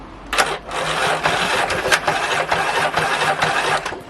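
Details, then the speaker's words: 1992 Stiga Collector SE mower, Briggs & Stratton 12 series electric-start engine, two drops of fuel added, key start: starter turns sluggishly in uneven bursts, dragging and stalling; battery too weak, needs replacing. "I'm gonna give it two drops gas and give it a spin I'm gonna try the key but I'm not expecting it to start"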